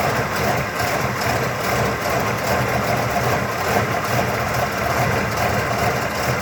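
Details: 1979 Cadillac Coupe DeVille V8 at cold-start idle, about 45°F after sitting two days: a very lumpy, uneven, loping idle about twice a second until it warms and smooths out; it only happens when good and cold, generally not above 70°F.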